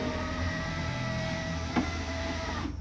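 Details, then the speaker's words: 2016 Chevrolet Classic power window after two or three applications of lubricating oil to the regulator gears: smooth steady motor hum raising the glass, no squeak or grinding; earlier noise cured without replacing the regulator; normal operation. "é tão com umas duas três aplicações do óleo ele parou de fazer o barulho"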